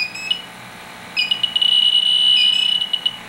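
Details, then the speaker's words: Fieldpiece SRL8 leak detector on an R410A HFC reference leak: shrill chirps quicken into a near-continuous squeal near the leak; very sensitive, picking up HFC about 2 inches away. "the hfc's extremely sensitive I mean literally fcks it up inches away depends which way the wind blows easily picks it up and maybe 2 in away you get it just right in the right"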